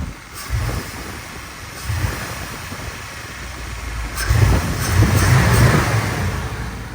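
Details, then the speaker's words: TBI Chevy OBS truck with a newly installed K&N cold air intake: short throttle blips with a hollow rush of air sucking in under the engine note as it revs and drops back; normal, healthy intake sound. "she sound good look good I recommend this canon in 10 out of 10 you can hear the air sucking"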